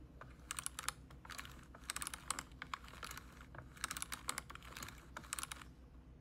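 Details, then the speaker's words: BMW steering-column part (power steering control unit area) rotated by hand, microphone close: bursts of small dry clicks and ticks instead of smooth rotation; something loose inside, defective part suspected. "I hope you have heard that small rattle there. It shouldn't be doing in that way. It should be like nice and smooth."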